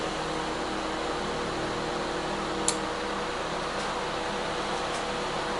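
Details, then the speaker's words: Older microwave/convection oven on combination cook at 250 degrees, reaching 188 degrees: steady fan whir with soft hum, no knocks or buzzing; $2 switch to be replaced for won't-shut-off fault. Normal running. "All right, so that thing's working. So that's just how simple this is."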